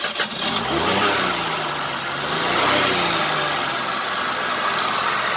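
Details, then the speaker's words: Maruti Suzuki WagonR that sat unused a long time, started after much effort and wiring repairs, belts still off: engine catches after a short crank and settles into a steady, even run with no knocks or misses. Normal running. "तो आपने देख ली गाड़ी start हो गई काफी मशक्कत के बाद"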